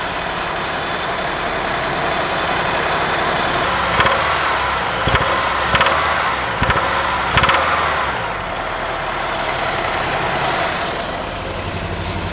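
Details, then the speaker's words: 1987 Ford Thunderbird Turbo Coupe, first start after sitting over 18 years, oil very low: rough idle with sharp, irregular ticks. The source is unknown; the turbo or the top end is suspected. "I just wonder where that sound's coming from. Oh, that's turbo. Sounds like it's from the top end."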